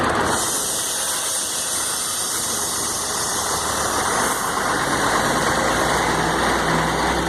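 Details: Mercedes-Benz 1634 diesel truck, in gear, noise only when lifting off the accelerator, recorded from above the drivetrain: loose rattle and knock about four per second.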